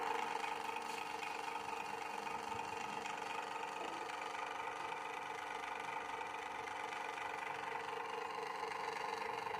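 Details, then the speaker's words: Usha fan motor after a rotor repair; before the fix it made noise and would not rotate. With the rotor refitted tight on the shaft, it gives a quiet, even, mid-pitched hum with no knocks or scraping and spins smoothly. "எப்படி கழட்டுனோமோ அதே பொசிஷன்ல மாட்டிட்டு on பண்ணி பார்த்தோம்னா fine ரொட்டேஷனா இருக்கு"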